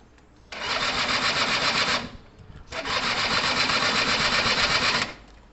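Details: Gilera DNA 125 two-stroke: two bursts of fast, even starter whirring, about two seconds each, and no firing. There is fuel and power and the two-stroke oil pump works; spark is not yet checked. Cranking, no start; cause unconfirmed.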